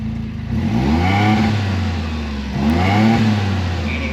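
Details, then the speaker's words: 2016 John Deere Gator 825i after fuel pump and regulator replacement: two quick throttle blips rise and fall cleanly with no stumble; the earlier miss came from the regulator over-fuelling. "This pump is nothing in noise. I can hear it. I don't even know if y'all can hear it. It pumps up, but it's way quieter than the one that was on there."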